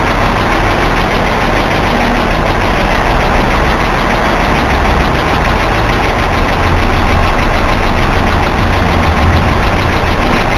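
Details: Ticking at cold start on a BMW E46, loud enough to hear from inside the car; a fast, steady ticking over the petrol idle that usually fades within seconds but sometimes lasts over a minute. Recorded in a parking lot; cause unknown.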